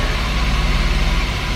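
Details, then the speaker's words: Smooth, evenly pulsing idle with no stumbles: BMW E34 525 M50 six-cylinder right after installing a new idle control valve, car restored after a blower motor fire. "Oh yeah. And that is a normally idling M50. Woo! Look at this bad boy, man."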